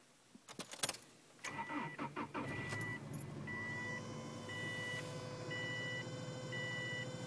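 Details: 2003 Subaru Legacy cold start: petrol engine cranks, catches and idles with an odd steady whine under a once-a-second dashboard chime; unidentified noise on cold start.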